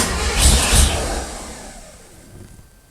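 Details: Old Chevy square-body truck V8 with manual choke, suspected flooded: two loud coughs then trails away without catching; owner suspects flooding or not enough fuel, starter sounding strained. Cranks but won't start.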